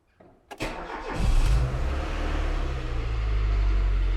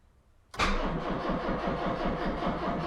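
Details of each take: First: Rover CityRover first start after five months locked up: brief cranking catches quickly and settles into a steady, even idle with no stumbles or knocks. It is a healthy start, though the brakes are sticking. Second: Citroën 2CV after five months stored, not very good battery: the starter churns in slow, labouring pulses and never catches. The weak battery cannot spin the engine properly.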